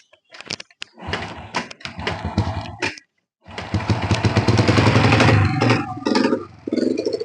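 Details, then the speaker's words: Honda Supra Fit New motorcycle that loses all power climbing hills: small revs up in stuttering bursts that break up and sputter instead of climbing cleanly; engine bogs under throttle, cause said to be minor. "nah seperti itu kondisi motornya ketika digas digas saja sudah merebet"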